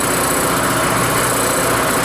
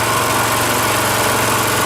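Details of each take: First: Rototiller single-cylinder engine after carburetor cleaning, cold start with choke on, first pull: fast steady running with light ticking chatter from the rocker cover, possibly loose valve clearance; otherwise running really well. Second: Rototiller single-cylinder engine after carburetor cleaning, warm after about 20 minutes running, fuel shut off to run dry: quick regular putter holding even beat at low idle; idles right down, healthy.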